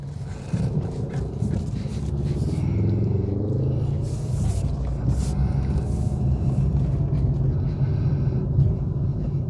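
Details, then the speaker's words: 2021 Suzuki Swift 1.2 GL Plus, 27,000 km, on a test drive: low, even engine rumble under way, very quiet, with no knocking or shaking; the engine runs smoothly and is normal while driving. "หูนิ่มมากแทบไม่ได้ยินเสียงรถเลยนะโอเครื่องเดินเรียบไม่เขกไม่สั่นนะ"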